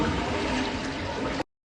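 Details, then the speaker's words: American Standard toilet (owner believes Champion 4), about six years old, after a washer and O-ring replacement to cure constant running: strong, even rush of water for about a second and a half, then cuts off cleanly; no further running heard. "Well, it stopped, guys, and it stopped, and I don't hear it running again."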